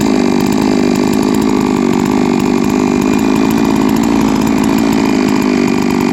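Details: Three-year-old Huztl-based MS660/066 mill chainsaw, ported 56mm cylinder, after in-field clutch replacement: steady high-revving two-stroke buzz holds even pitch without surging or bogging; runs cleanly and healthy.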